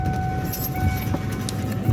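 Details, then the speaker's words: Ford Crown Victoria idling with a low rumble and a faint, loose metallic jingle on top from a rattling exhaust heat shield. "and that rattle you hear there is just a heat shield hop on out of here okay looking here that's a heat shield there i actually know where that is"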